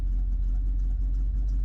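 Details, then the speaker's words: 1976 Ford Ranchero 500 V8 after timing set and oil pump install, idling about 800 rpm with about 8 psi oil pressure, owner plans to raise idle for better oiling: deep, even, slow rumble, no knocks or ticks; healthy idle. "it doesn't sound as cool but at least it oils the motor better you know"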